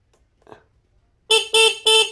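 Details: Old Vega motorcycle with a wiring fault where the right turn-signal switch lights everything: three short horn blasts in a quiet room, each a bright, buzzy, thin tone; the horn sounds weak, possibly from a stray current, not confirmed.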